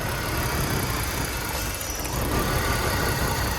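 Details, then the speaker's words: BMW E46 idling after a no-run condition: steady airy hiss over an uneven, lumpy petrol idle from a big vacuum leak, likely a leaky vacuum line; purge valve didn't help, coolant also leaking. "The car moves, but coolant leaks, and you can hear a big vacuum leak."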